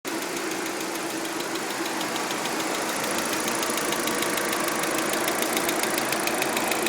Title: Audi a4 weird ticking noise 3